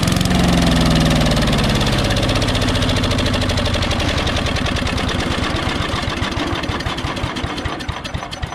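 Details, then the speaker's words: Old barn-find Craftsman 8 hp Briggs & Stratton chipper shredder, first start in years, plug cleaned, choke off, carb cleaner sprayed in: single cylinder catches with rapid pops, then stumbles and dies; fuel filter and non-ethanol fuel next. "well that's a good sign let's get the fuel filter replaced and get some non-ethanol fuel in there and we'll give her another shot"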